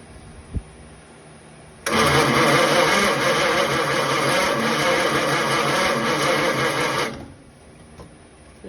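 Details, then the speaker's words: Original 1934 Ford coupe flathead, barn find sitting 20+ years: about five seconds of steady cranking, roughly three turns a second, never catching; very weak spark, owner suspects condenser; no start. "Now that is a crappy crappy spark."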